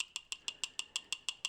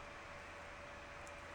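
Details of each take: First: Original fan from a four-year-old mini heater that failed, bench-tested: sharp, even ticks about six times a second, thin and tinny with no hum underneath; a rattle suspected from high-speed running in the heater, not confirmed. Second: Mini heater fan on high: soft, steady airy whoosh with a faint constant hum, no rattles, ticks or wobble; fan running normally.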